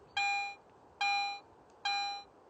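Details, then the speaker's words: Garrett AT Pro metal detector in standard audio mode over a silver coin: three equal beeps, each about half a second and roughly 0.85 s apart, all the same loudness until the target is no longer detected; constant-volume coin signal. "listen to this silver coin in standard mode notice that the volume of the response is always the same until the target is no longer"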